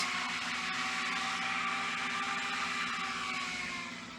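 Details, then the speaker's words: Xbox Series S cooling fan, fan signal pin removed so it gets full 12 V: loud steady rushing whir, fixed high hum; fan running at full speed before potentiometer speed-control mod. "So let's plug the console here. The fence spainted is a high speed."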